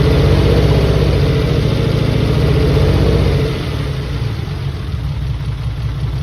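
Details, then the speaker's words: Replacement engine's first start in a 3000GT VR4: loud uneven idle with a lumpy pulse settling lower, probably one or two cylinders misfiring; cause suspected, not confirmed. "Probably one cylinder misfiring right now, or maybe two."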